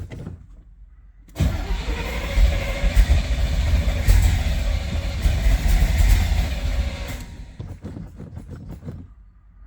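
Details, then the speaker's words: 1972 Corvette V8 after new starter and battery cable: starts, then revs up and down cleanly on the throttle with deep even rumble, no knocks or misfires; repair successful. "It's probably a little empty, but that sounds very good, yes then this repair was successful"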